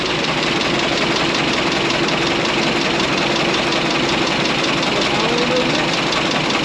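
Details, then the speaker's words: 1927 White dump truck, first start after sitting 20 years: an even, steady idle with a soft chuff at about three beats per second and no knocks or misses. It sounds like new with 28 psi oil pressure; normal idle. "what do you think Grandpa sounds like new it sounds like new just turn right along"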